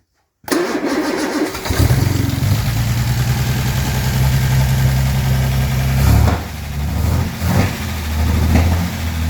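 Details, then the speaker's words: Armstrong Siddeley Star Sapphire-engined sprint special, first run in probably over 40 years: catches quickly and settles into an even, steady low beat with no misses or knocks; running remarkably sweet. "That sounds remarkably sweet."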